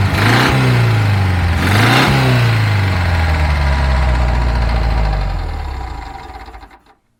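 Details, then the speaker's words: 1975 VW with a worn clutch, run 10–20 seconds with the cooling fan removed: a steady knock through idle and two revs, rising with engine speed; excessive internal engine wear is suspected but not confirmed. "o barulho continuou tá mais audível ainda sem sem o barulho do ventilador sem o fluxo de ar aí então certamente existe um problema interna no motor um desgaste excessivo"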